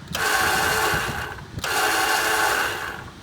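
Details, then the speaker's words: Zero Turn ride-on mower won't start: with key held, two long buzzing bursts and no cranking or firing; starter solenoid sticking, to be freed with a quick whack on the starter. "okay so what it sounds like is that the starter okay it's the starter it sounds like it's started we're just gonna give it a quick whack it's going to dislodge the solenoid and hopefully it'll start"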